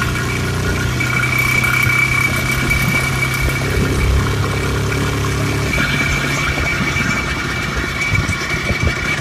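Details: IZh Planeta 5 two-stroke motorcycle, hot engine pulling under load: a sharp crackling tick from the cylinder over the exhaust note. The owner says a grade-17 spark plug does not solve it. Detonation knock.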